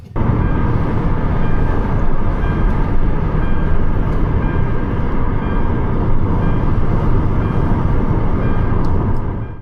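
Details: Kia Ceed petrol after repair: a misfire had moved from cylinder four to three when the coils were swapped, and a new ignition coil fixed it. Now a deep, steady engine rumble with no bucking or missed beats, running evenly.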